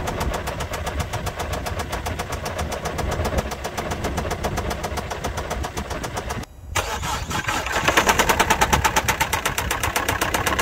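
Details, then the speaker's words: Citroen C4 Grand Picasso 1.6 HDI diesel, bought at about 190,000 km: heavy, rapid metallic knocking as the engine dies of oil starvation, the known flaw where an oil line gets clogged. "this 1.6 HDI engine has a flaw at some point some o line in the engine gets clocked after which the engine is killed from oil starvation"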